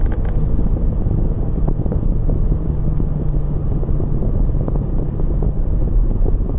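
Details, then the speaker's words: 2001 BMW X5 3.0L, 187,000 miles, code P0306 and catalyst efficiency codes: low, uneven idle rumble with lumpy stumbling beat, clears with more throttle; misfire at idle, owner suspects severely worn spark plugs. "I don't know if you can hear it right now, but it's just misfire."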